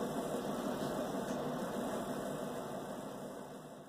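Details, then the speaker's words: Bosch WTVC3300US/10 electric dryer after repair: smooth, even whir with a soft rumble about three per second, running normally. The loud noise came from the motor's hex drive shaft rubbing the tensioner wheel after the motor bracket slipped; the motor was reseated under the bracket. "play button here start button it sounds normal whoo yeah we did it guys"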